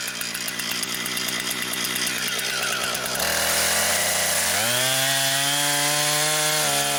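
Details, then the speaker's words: Brand-new Husqvarna 460 Rancher chainsaw, first run, cutting wood. Strong, steady high whine climbs cleanly under the cut and holds without bogging. Healthy saw cutting normally. "it sure does cut right through though it really is doing a good job here is you can feel the power you can feel the difference uh that a big motor makes on this"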